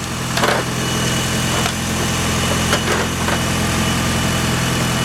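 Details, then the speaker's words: 1996 Mitsubishi Evo 4 idling just after a 12 V power bank jump start from a dead battery (dome light and radio left on): even, steady idle hum, smooth unbroken beat, no knocking or stumbling; healthy. "so you guys could see the car was completely dead would you look at that a little power bank jump my old JDM Evo"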